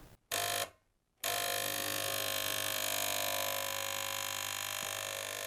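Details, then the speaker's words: Gaggia Cubika espresso machine heating and pumping but delivering no water or steam, element hot: steady loud pump buzz at a constant tone with no change in note, no suction or flow felt at the hose; pump running but moving no water. "So blue on the left. It definitely sounds like it's pumping. Red on the right. The element is hot."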